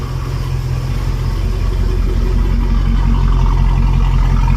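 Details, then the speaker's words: 1971 Rover P6 3500S V8 US export, first start after fuel pump replacement with fresh fuel: deep steady burble, even beat, no knocks or misses; sounds good, normal idle. "Well, I couldn't wait. So, I went ahead and got some fuel. Let's give it a try. Sounds good."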